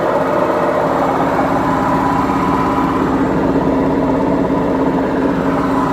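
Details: BEKO washing machine, 7 years 8 months old: heavy, even roar with a gritty edge throughout the spin, worn drum bearings.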